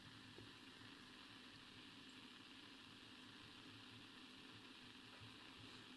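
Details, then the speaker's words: Blaupunkt Arkansas tube radio after tuning capacitor repair, tuned across shortwave: faint steady hiss and low hum, no station; the mixer-oscillator tube may not be oscillating. "no way I can hear the hiss it's louder at one end shortwave hiss again your reception"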